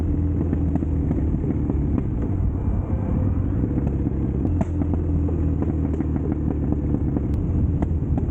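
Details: Triumph Bonneville T100 custom build on Down & Out Customs drag pipe exhaust, before fixes: deep loud twin rumble at idle with occasional sharp exhaust pops; backfiring, with less torque and top speed; fix planned via O2 sensors, air baffle removal and stage 4 ECU tune.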